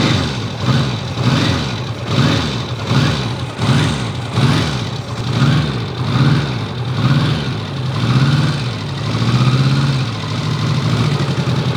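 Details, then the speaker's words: Restored 1954 Ariel Square 4 four-cylinder on cold start: lumpy, slowly swelling idle with even firing pops underneath; healthy, just needs warming up. "I did record the cold startup, so enjoy me starting up the machine. Pops over nicely, but you really gotta spend your time with it."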